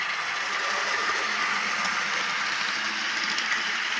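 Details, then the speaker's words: Atlas Cotton Belt RSD-4/5 model locomotive after rebuild, unrun for years: steady high-pitched commutator whine over smooth running hum; commutator suspected to need lubrication or run-in, whine later disappeared. "there's a funny noise to it but other than that it seems to run pretty well runs really smooth it's just strange to hear the commutator of all things whining"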